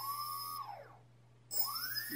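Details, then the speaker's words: RC motor with ESC just calibrated, props off: electric whine drops away then climbs smoothly as soon as the throttle comes off the stop, no dead zone; normal start after calibration. "the motor is spinning as it as soon as it comes off the stop we're working so that is all calibrated"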